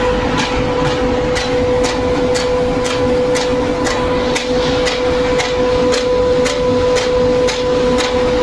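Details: Seal air fan running: steady mid-pitch hum with a sharp tick about twice a second over it, an abnormal rhythmic noise.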